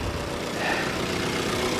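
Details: 2010 Infiniti G37 manual, hail-damaged salvage car after a slow hard start: steady, even idle with smooth low hum, no knocks, misses or hunting; alternator charging 14.6 to almost 15 volts, runs cleanly.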